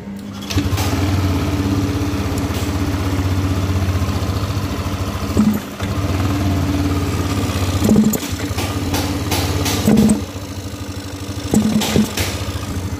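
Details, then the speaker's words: Yamaha Aerox 155 scooter, panels removed, idle then throttle blips: each blip gives a short flat surge that sags as if about to stall instead of revving cleanly; bogging hesitation, suspected fuel supply shortage, injection pump being checked. "Nah, jadi motornya tuh saat digas dia nggak bisa spontan bosku ya, langsung mok atau mau mati, seperti nggak ada hentakannya gitu bosku ya."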